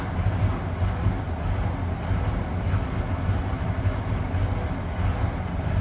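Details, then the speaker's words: 1994 Ford F-150 4.9L straight six, five-speed manual, cold start: rough idle lopes and stumbles with uneven low pulses for about a minute, before idle air control valve replacement. "see if we have a rough idle on start there we go draw final it should smooth out here in another 10 seconds 15 seconds"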